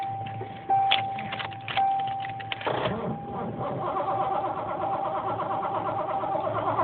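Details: 1986 Ford Mustang 5.0, five-speed, boost-start attempt with suspected bad connection: some clicks, then starter spins the engine in an uneven labouring churn without catching; crank no start.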